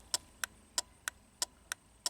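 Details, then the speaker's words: 2003 Pontiac Grand Am GT hazards on: crisp, even clicking about three a second, coming directly from the hazard switch button, which also powers the turn signals; normal working flasher. "the clicking is coming directly from the button. You can actually feel it too."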